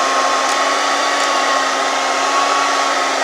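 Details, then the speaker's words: Revlon hair dryer after repair, switched between higher and lower settings: steady, even rush of air over constant high motor whine, no rattle, scrape or surging; running normally. "Beautiful and wonderful. Nothing wrong, everything is works right there. Make it higher and lower."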